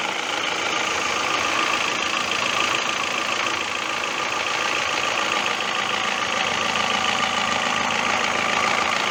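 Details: 2002 Toyota RAV4 at idle: a light, fairly regular tap about three times a second, engine knock from oil starvation; the oil pump pickup screen was partly clogged, and after cleaning it plus an oil and filter change the noise stayed gone over 2,000 km.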